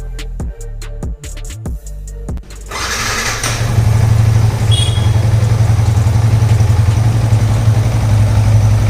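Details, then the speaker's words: Yamaha MT-15 after repair of an engine noise and oil circulation problem, with scanner faults cleared: it fires after a few cranks and settles into a steady, even idle with no knocks or ticks. Normal idle. "का आवाज एकदम सही है। जितना नया उतना अच्छा गया।"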